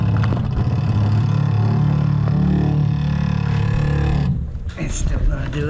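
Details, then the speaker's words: Water hammer from vibrating pipes: a deep, steady drone and buzz for several seconds, then it cuts out. A slightly cracked or clogged part and the cold water supply are suspected but not confirmed. "guys if you ever hear that noise that's what a water hammer sounds like that's whether it's called its water hammers when that the water goes through the pipes can't make it quite through"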